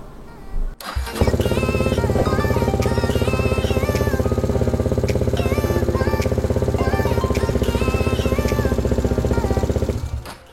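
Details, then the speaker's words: Motorcycle (VF3i) during AQS quickshifter install, coil plug harness bypass socket connected: engine catches after a short crank and settles into an even, steady idle; starts normally, confirming harness connection works. "jadi motor pun hidup. Okey, maksudnya sambungan harness ni yang untuk coil plug tu berjaya."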